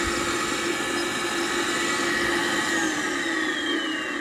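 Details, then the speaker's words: Gas furnace draft inducer motor, found a bit stiff, restarted: rough whirring whine with a wavering, rattly edge; worn inducer motor bearings, needs replacing. "so it may start now but we're definitely still going to replace it but we'll try it there she goes sounds terrible definitely need to replace it"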